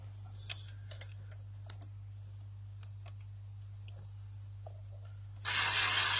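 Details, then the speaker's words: 2012 Nissan Navara D40 3.0 V6 turbo diesel, engine off, code P0488, EGR valve powered directly from battery: a few light clicks then steady high actuator motor buzz, but valve stem does not move; stuck EGR valve. "There you go, I got the power and I don't see any movement on that valve stem. So I'm gonna, but you can hear the pump, the electronic parts is running, but there's no movement on that valve."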